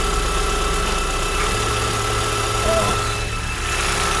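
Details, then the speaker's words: Idling engine with a thin, steady, unchanging high-frequency whistle over the engine note, belt removed; mic placed under the engine. Noise persists, located in the engine. "Meron? Meron pa rin? Oo, nasa engine."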